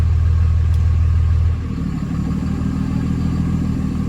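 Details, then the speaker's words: Early 2007 Ram 3500 5.9 Cummins diesel, G56, 326,000 miles, cold start at 31°F, low idle 800 rpm: steady idle, then at about 1.5 s the note drops to a heavier, labored rumble as the exhaust brake closes, loading the engine and raising EGTs. "Yeah, so that's the exhaust brake closed now. Still at a low idle. See, the EGTs are climbing up just because the exhaust brake puts enough load on the engine that it has to fuel up to keep the idle speed where it is."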